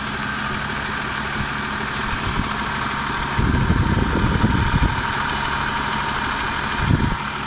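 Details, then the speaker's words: Mercedes W202 with M111 engine, blown head gasket, overheating and boiling coolant: uneven idle with light top-end valve tapping and rougher bursts; valve ticking after overheating. "Не знаю, слышите вы или нет, но я уже слышу клапана."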